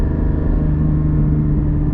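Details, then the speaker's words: Porsche GT4 on the road at light throttle, 1000–2500 rpm: deep, steady boomy drone with a low hum, no knocking; sounds funny at low revs, which the driver thinks is just how Porsches are, and it wakes up higher in the revs. "the zero to when i say zero 1000 to 2500 rpms it just sounds funny and it seems like that's the way porsches are"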